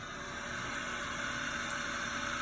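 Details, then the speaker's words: Toilet tank refilling after a flush, before fill valve replacement: steady hissing rush of water with faint constant whining/wheezing tones on top, from the noisy fill valve; noise reportedly worsens. "to this noise though. You heard that, right? That noise is annoying. And it gets worse."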